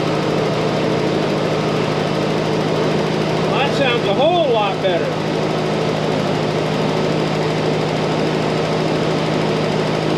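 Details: M151 Jeep carbureted engine after carb work, fuel draining and adding a fuel filter for tank contamination: steady, even low hum with no stumbles or surging; idles smoothly and sounds healthy.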